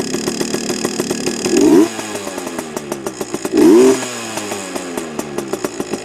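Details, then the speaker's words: Heavily modified Yamaha PW80 two-stroke with FMF parts, a bit cold: crisp buzzy revs blipping twice, sharp and clean between light popping idle pulses, much louder than stock and running strong and healthy. "but she sounds a lot better than stock anyway um a lot more uh loud as you can hear yeah that's it good old Yamaha"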